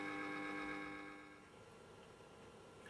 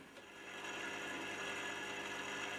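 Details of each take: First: Restored 1930s Columbia record player motor on 240 V AC, first power-up: quiet, steady, even hum with a clean high tone that holds then fades; spinning smoothly, healthy. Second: 1930s Columbia record player, 240 V AC motor, first run after reassembly: light rasping whirr over a faint steady hum, rather noisy; brake needs adjusting; noisy turntable motor, brake out of adjustment.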